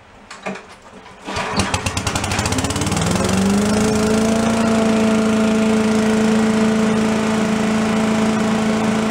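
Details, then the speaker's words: Commercial walk-behind leaf blower, repaired after carburetor problems, set on the ground for an extended run to check smoke: a few pulls, then it catches and settles into a steady high buzz with no stumbling; normal running. "let's go let her down on the ground and we'll run it for a while see how it does as far as smoke is concerned"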